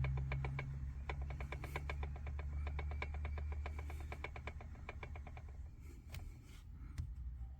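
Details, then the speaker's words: Car with about 43,000 km, steering noise: quick dry clicks, about three a second, as the steering is worked, persisting after removing the column U-joint ("muñeco"); wear in the column's upper joint. "quitamos el muñeco y volvimos a mover la dirección y sigue el río."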